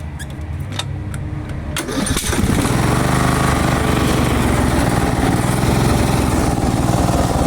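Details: Craftsman garden tractor with Briggs & Stratton engine, the day after a Nikki carburetor rebuild: it cranks, catches after a couple of seconds and runs slightly uneven and lumpy. It mowed about 800 m² without stalling, with plenty of power and low fuel use.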